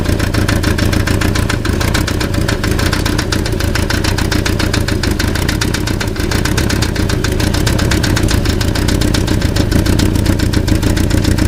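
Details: Passat (German) at idle: fast, even metallic rattle over the engine the whole time, sounding like an engine noise but caused by a loose catalytic converter.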